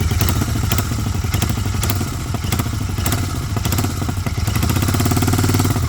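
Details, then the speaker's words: Continental GT 650 twin idling with a loose, uneven metallic "kat-kat" clatter riding over the exhaust thump, traced to a silencer worked loose at its mounts. Exhaust clatter from loose silencer. "Engine में से जो है ना बहुत cut cut cut cut की अजीब सी आवाज ए रही थी"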